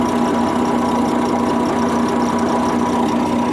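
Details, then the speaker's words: MAN truck diesel idling warm with a thin, steady squeak from the front of the engine, traced to a worn fan drive bearing; air compressor unloading is also audible. "ремонт будем пытаться устранять второй раз уже будем пытаться устранить скрип двигатель слышно"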